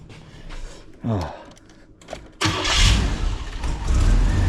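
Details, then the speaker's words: Camaro after replacing the rotten intermediate and over-axle exhaust pipes: brief cranking, then it catches and settles into a fairly even idle rumble, much smoother than before, though a slight stumble remains. "oh man so much smoother the car runs it's not perfect"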